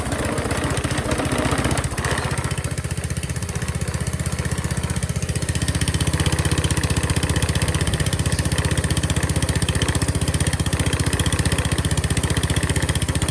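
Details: Qualcast Classic Petrol 35S cylinder mower fitted with a cheap replacement Chinese carburettor, jets adjusted: steady fast single-cylinder thud with slightly uneven beat at fixed throttle; runs a bit rough, blamed on the cheap carburettor.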